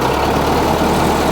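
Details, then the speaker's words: Case 1845 skid steer diesel after a hydraulic pump reinstall. At full throttle linkage the drone stays flat and won't climb, with no power. It reached full throttle at first start but no longer does. Cause unknown. Engine won't rev up. "i was throttling this thing up and it um didn't do anything it has like no power at all"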